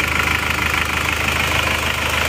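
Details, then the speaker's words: Isuzu Panther Turbo diesel after piston ring replacement only, liner not replaced, for high oil consumption, idling at 79° working temperature: no blow-by smoke at all. Even steady diesel clatter, regular beat, no knocks or misses; normal idle. "Alhamdulillah ini tidak ngobok sama sekali berarti kita hanya ganti ring seher saja tanpa mengganti liner atau membayar hasilnya sudah sangat memuaskan"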